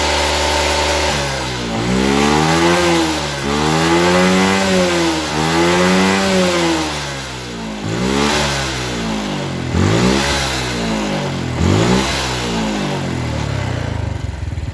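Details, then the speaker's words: Suzuki Smash New carburettor motorcycle with heavy fuel consumption and a blackened plug. After the carburettor was refitted, the air screw is adjusted at idle; the single-cylinder revs swell and sag, still running rich. "kita setel angin-anginannya kita paskan langsamnya kita cari langsamnya ya kalau masih suaranya agak apa ya agak keborosan kita putar kembali ya"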